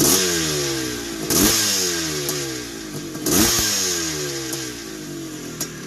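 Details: 1981 Suzuki RM465 two-stroke barn find, first start after fuel poured down the plug: sharp throttle blips with a tinny rattle as revs drop; owner suspects it needs a top end, heavy smoke suggests blown main seal, clutch side suspected.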